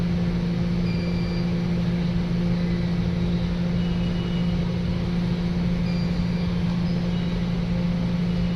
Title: check out bad capacitor smh